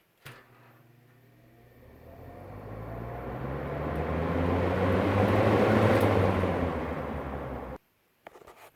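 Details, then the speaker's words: Vintage 7-blade Hunter box fan, startup: motor hum climbs in pitch as blades spin up to high speed, then settles into even whoosh; low speed runs slow when first started as it needs oil. "low speed runs really slow when you first start it up because it needs oil obviously but once it's been running for a while it speeds up a little bit still very quiet"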